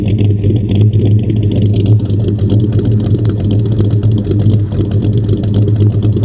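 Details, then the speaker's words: 1940 Chevy Coupe V8 bought at auction, heard at the tailpipe, possibly slightly cammed: deep slightly loping idle, firm and even with mild rhythmic chop; normal idle. "I think ladies and gentlemen she might be just slightly cam you can almost hear it back and forth"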